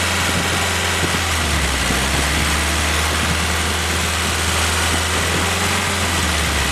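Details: Willys F-134 F-head four-cylinder fresh rebuild on engine stand during break-in, oil pressure 40–45 psi, water 165°F; steady smooth low drone, no tapping or knocking; normal running.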